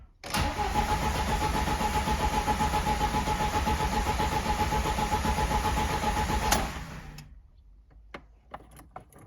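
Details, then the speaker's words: 2109 VAZ with 1.5 engine cranks steadily at about four turns a second but never catches. It has spark, injector signal and fuel pump relay, and rail pressure is restored after a regulator module replacement. Crankshaft sensor error P0336 is stored: crank, no start. "Нічого в нас воно даже не хватає зовсім ніяк"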